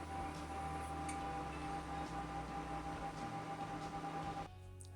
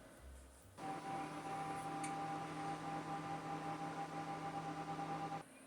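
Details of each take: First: Cooler Master Wave Master case with four 80 mm fans at full speed; loud steady whoosh with a high whine, in a retro Socket 462 build. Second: Cooler Master Wave Master retro PC (Socket 462 build) after fan upgrade: soft steady whoosh with faint constant whine, mostly power supply heard; much quieter than before, fans healthy.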